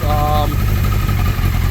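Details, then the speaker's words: 2003 Suzuki Hayabusa at idle after clutch cover refitted, running rich with black smoke, fuel pressure good: steady, even low thrum, no knocks or misses; engine idles and runs smoothly. "Fuel pressure's good. It runs great. It's idling."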